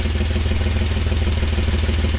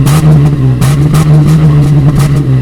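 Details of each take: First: 1988 Toyota Land Cruiser FJ62 idling, microphone under the driver's seat beside a rusted hole in the old exhaust: loud, rapid low chuffing, harsh rasping pulses; exhaust leak, before exhaust replacement. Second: 1988 Toyota FJ62 Land Cruiser after fitting new stainless steel exhaust: deep, even burble rising and falling with throttle blips, no rattles or leaks; healthy exhaust note.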